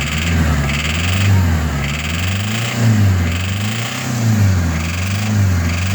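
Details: WL-T diesel engine: revs rise and fall in slow, repeated swells with an extra hiss over them; an unidentified noise, cause unclear.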